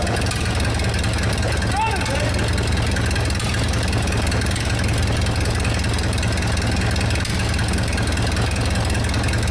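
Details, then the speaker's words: 1947 LeTourneau D4 pull scraper engine, first start after sitting over 10 years, fresh gas, a little choke, transmission and cable controls in neutral: loud, uneven low chugging, runs fairly well but carburetor needs fine-tuning and throttle control seems faulty. "All right, well, I think we have a little bit of fine-tuning on our carburetor to do here, and I don't think the throttle control is working quite right, but it runs. It sounds like it runs pretty good."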